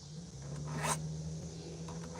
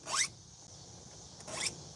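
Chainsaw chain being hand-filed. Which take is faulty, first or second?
second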